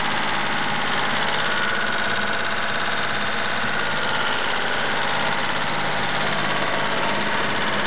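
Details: Mitsubishi GTO at steady idle with a light, quick, slightly uneven top-end tick about three per second; owner suspects lifter tick, not confirmed, and plans an oil change to Millers 10W-40 fully synthetic.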